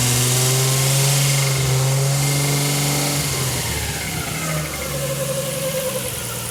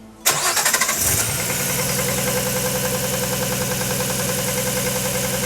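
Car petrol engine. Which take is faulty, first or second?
second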